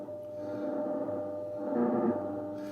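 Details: Ten Tec Paragon 2 receiver with the volume turned down: steady ~600 Hz whine over a fainter low tone, still stepping. Owner suspects an audio ground loop or board feedback in the audio path, unconfirmed.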